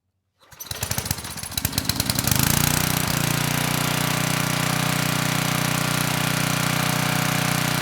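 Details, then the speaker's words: Tecumseh HM100 10hp engine on Western Hemisphere generator, after new carburetor installed, airbox off: rough pull-over for two seconds, then catches and runs smooth and even, choke off right away; running properly now. "Well, that sounded a lot better. I was able to turn the choke off right away. Engine ran nice and smooth."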